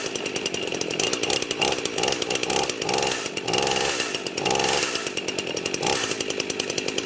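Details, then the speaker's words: Freshly rebuilt Husqvarna 51 chainsaw, first runs after choking off bottom-end oil, cold weather: crisp, even high-pitched buzz with smooth throttle blips and clean return to idle, no misfires or hesitation; healthy. "well that sounds awesome it's running awesome sounds great"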